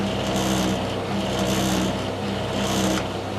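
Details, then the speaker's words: Tumble dryer after an engineer refitted a bearing: a steady, heavy low rumble with a swell in the hiss roughly once a second as the drum turns; the fault persists. "can hear a rumbling noise. There it was. Obviously this is not right."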